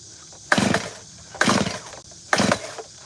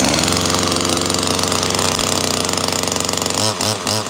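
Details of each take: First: Gas chainsaw: three quick pull-starts about a second apart, each a rattling spin with no firing; the saw is flooded. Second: Small gas chainsaw just pulled out of the truck: two-stroke buzzing at steady high revs with an even, raspy note, then chopping as it loads up; runs fine.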